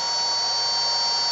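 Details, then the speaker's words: AC motor driven by an ABB ACS150 inverter on a three-phase supply, frequency raised by the potentiometer in manual mode: steady high-pitched drive whine and even hiss with no knocks, motor spinning faster and sounding healthy. "το περιστρέψω πιο πολύ, βλέπουμε γυρνάει πιο γρήγορα."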